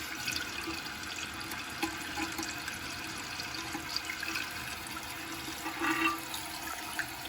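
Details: Toilet after replacing all tank plumbing because it kept running: strong rush of draining water, then steady refill without hissing or gurgling to a lower water line; flushes and refills cleanly.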